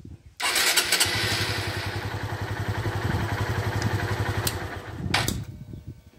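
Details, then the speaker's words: 2013 Honda Fan 150 motorcycle that would not crank on the button: with starter switch bypassed by jumper wire, starter spins briefly and engine settles into steady, even idle; fault in the start switch. "e agora vou colocar aqui no vermelho a moto tem que dar partida ó"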